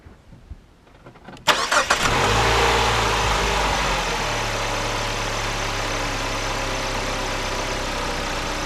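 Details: 2009 Chrysler PT Cruiser, first start after spark plug replacement: a brief crank, then the engine catches cleanly and settles into a smooth, even idle with no misfire or stumble.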